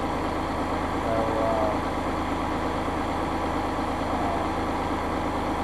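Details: Massey Ferguson 5610 tractor idling after its 500-hour service fuel water-separator filter change; it started right up and never missed. Steady, even idle with a low regular clatter and no misses or hunting: healthy.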